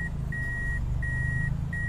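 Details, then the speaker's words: Toyota Altis 16-valve automatic, warm: low engine hum under a repeating high warning beep, one long tone each 0.7 seconds; idle sagging in reverse with AC on. "ipasok natin aircon y pagpasok ng aircon bumagsak do anan bumagsak na siya lalo na ikambyo natin sa reverse"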